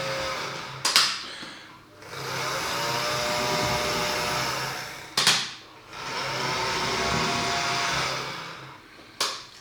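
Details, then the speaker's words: Dapol O gauge Class 09/08 shunter running on test track at about 45% power, before greasing: a harsh buzzing whir rising and falling with each run, broken by sharp bangs. The gear drive sounds rough and dry; the cause is suspected, not confirmed. "So you can see it is quite noisy, and that was about 45%."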